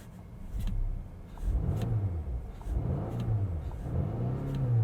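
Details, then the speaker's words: 2020 Volvo V60 T8 Polestar plug-in hybrid, restarted after running out of gas and shut off: engine picks up cleanly in three smooth rev swells with no knocks, misses or whine; running normally again. "engine seems to be operating as normal and we're back"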